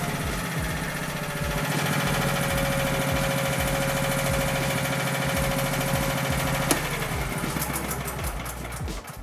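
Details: Honda EB3500 generator running steadily on its governor with no hunting or surging: about 60–62 Hz at roughly 3650 rpm unloaded, dropping to about 60 Hz under load. Normal governed running.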